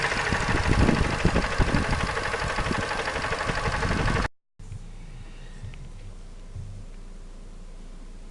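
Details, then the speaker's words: Mazda 3 engine with heavy, sharp knocks about three per second at idle and revving, caused by a sunken cylinder liner and broken piston in the fourth cylinder after a poorly done overhaul; other cylinders had normal compression. "сажина гильза и разбит поршень четвертом цилиндре"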